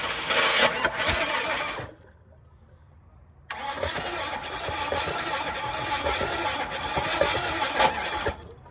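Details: Truck bought for its engine to replace a broken 4.8; cranks briefly, pauses, fires cleanly into a steady even idle, normal start and idle.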